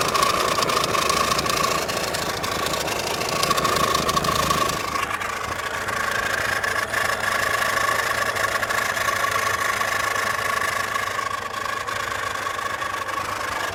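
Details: Audi A6 C5 2.4 V6 petrol (ALF) that shakes badly, lacks power and revs sluggishly, with noise coming from the timing covers: an uneven idle with rough, irregular knocking about four times a second over a shaky running note. Knock and vibration, cause unclear.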